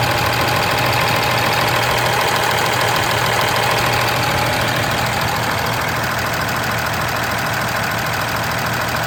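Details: 2013 Ram 2500 6.7 Cummins, 39,000 miles, G-56 manual: quick even ticking about three per second over diesel idle, present idling, revving, loaded or not; valve lash out of spec, some exhaust valves .032", fixed by resetting to .010" intake/.026" exhaust.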